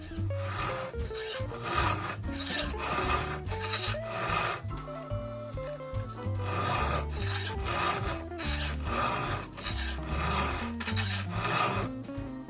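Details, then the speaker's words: Chainsaw chain sharpened with a round file held in both hands with pressure: steady, rhythmic, crisp grinding rasp about once a second, the file biting properly; normal chain filing sound. "しっかり研げているかどうかはこの音がね重要なんですね。ゴリゴリゴリというような音がします。"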